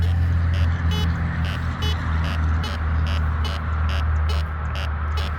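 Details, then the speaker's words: Metal detector swept over a test garden target of a dime surrounded by buried nails; steady low grunt of iron on each pass with short high chirps of the dime squeaking through the iron. "we've got iron we've got a dime with iron so you can hear the iron"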